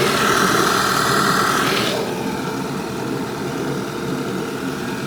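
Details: 2011 Audi A5 2.0 TFSI at cold idle on first start-up: loud vacuum-cleaner-like hissing rush of air flow that drops off sharply after two seconds, source unknown; only when cold, no noise or hesitation when driven hard to 140 km/h.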